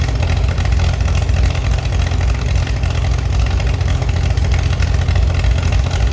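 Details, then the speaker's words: Chevy SS under restoration, engine restarted after the owner lowered the fuel level to fix a mistake. Deep, even idle with a steady pulse, no misses or tapping: normal, healthy idle. "Yes, very good, I have already managed to revive the Chevi's engine again. You can hear it and it sounds very good."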